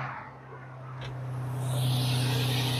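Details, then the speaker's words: Nissan V6 3000-series engine with 219,000 miles, just started first try in a cheaply bought car. A low, steady hum firms up into a smooth idle with no knocks or misses, a normal idle. "whoa nice the first one fired right up 219,000 miles dang that sounds pretty good"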